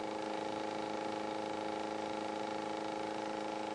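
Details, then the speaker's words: Modified Bedini-style pulse motor, one trigger coil, two run coils, two transistors, rectifier charging batteries, heard close up: steady fixed-pitch buzz with no wavering, knocks or dropouts, moving pretty good; normal running buzz. "and this is the only motor I built so far that you can hear run and it uh it's moving pretty good"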